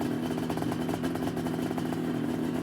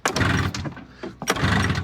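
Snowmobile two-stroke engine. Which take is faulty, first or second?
second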